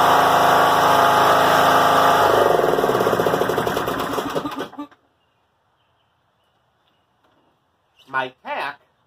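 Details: John Deere L100 rider, Briggs & Stratton Intek 17 hp, before repair: runs fast and fluttery, then coasts down and dies; bent governor spring holding idle too high, governor ruled out.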